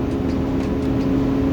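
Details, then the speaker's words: 2009 Ford 6.4 Powerstroke diesel, fan commanded on with a scan tool at about 1200 rpm and raised: a heavy whooshing roar over the diesel, the sound it made while driving before the fan was replaced; fan clutch fully engaged. "that's what it was sounding like when we were driving prior to us replacing this fan i'm gonna shut it off immediately"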